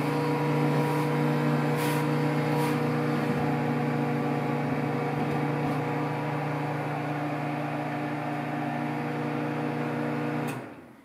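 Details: Samsung 1.9 cubic foot microwave at start-up: loud steady low hum with a buzzing rattle on top that runs evenly and stops at shutoff, a vibration noise while running.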